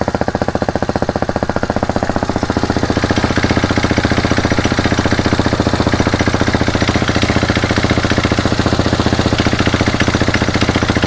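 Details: New 2019 fuel-injected RPS Hawk DLX 250 during its first heat cycle: steady single-cylinder idle with a quick, even clatter on each beat; clutch rattle, thought to need break-in, not confirmed.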